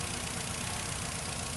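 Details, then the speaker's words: 2008 Nissan Rogue with P0300 misfire and engine rattle, idling with cylinder 3 ignition coil disconnected: uneven, lumpy low throb, and the engine is affected. "after disconnecting the cylinder number two there is the the engine sound the noise that i've been making it yeah it got worse"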